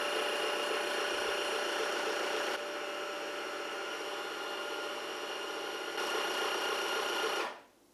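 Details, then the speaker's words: Cecotec Freego Wash electric mop docked on its base in self-clean mode, water rinsing the brush and draining into the tank; even high-pitched motor whir with rushing water, then clean shutoff; normal self-cleaning cycle. "on voit l'eau ici qui est donc en bas du bac pour nettoyer la brosse qui remonte ici et qui s'écoule à l'intérieur du"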